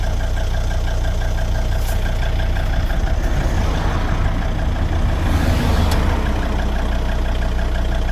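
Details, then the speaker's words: 2003 Volvo XC90 D5 diesel at idle after all engine mounts replaced: deep even drumming rumble through the body, steering wheel shimmering at engine-cover frequency; no damping, vibration apparently sent straight into the subframe by wrong, stiffer torque mount. "The wheel shimmer at idle. It's vibrating at pretty much exactly the same frequency as the engine cover is, which that says to me there's no dampening going on at least one of them."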